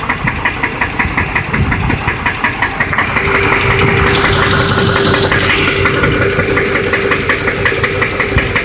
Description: exhaust manifold leak